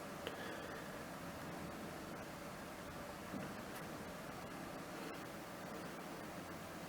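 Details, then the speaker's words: GTX 1660 Super mining rig after reboot, PSU fans off until temperature reached: only faint even fan hiss, nothing knocking or rattling; quiet cards, rig running smoothly. "these little 1660 Supers are really quiet as well."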